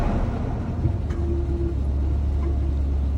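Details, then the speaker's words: 1984 GMC Sierra Classic just started: deep, steady low rumble with an even beat and no knocks or ticks; 60 psi oil pressure, running a little rich, normal idle. "and it runs like, I mean, runs like a champ. Running a little rich, but that's to be expected."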